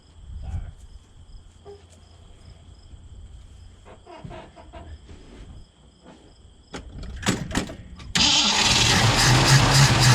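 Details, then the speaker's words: 1965 Mustang 289 V8 after a camshaft replacement: steady cranking at about four turns a second with no firing before a late surge. No fuel is reaching the carburetor from the tank. "well okay it's going to take a while to get gas up from the tank to the carburetor i'm going to fill the carburetor with that turkey baster"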